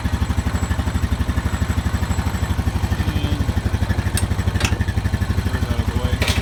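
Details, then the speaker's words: Honda Rancher 420 ATV after replacing the dead original battery with an AGM battery: single-cylinder putter about three beats a second, even and steady with no misses; healthy normal idle. "I guess we should test it out first. So far, sounds good."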